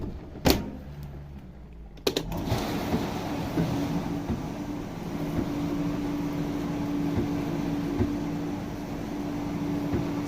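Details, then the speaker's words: Miele dishwasher after repair, wash cycle with strong flow and both lower and upper spray arms turning: a couple of clicks, then steady pump hum under rushing water holding even; normal wash circulation. "ça débite sévère qui et elle tourne très très très très bien"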